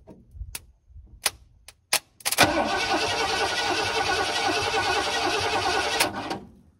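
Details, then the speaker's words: 1979 Ford F-150 Custom tool-body truck, sitting since 1999, hot-wired without key: steady cranking about four seconds, never fires; fuel pump works (line disconnected, pumping old gas) but no ignition, hot-wiring not right yet. "well the fuel pump works because I disconnected the line um it's starting to pump the crappy gas so I'm gonna have to put a cup over that but no uh no ignition yet so I guess I don't have it right"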